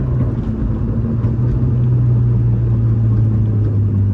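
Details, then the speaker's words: 2006 Subaru STI with a homemade exhaust, while driving: a steady low drone under the engine note, which the owner puts down to the exhaust tube; headers and a cat delete are planned. "a little bit of drone on it but it is a defense tube so"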